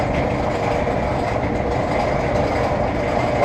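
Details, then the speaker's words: Maytag Neptune dryer running with a loud, continuous rough rumble and rattle; owner suspects a failed bearing in one of the rear idler pulleys. "Alright, so as you heard, this dryer is making a ton of noise. And to the best of my knowledge, I think it's one of the back bearings like this here."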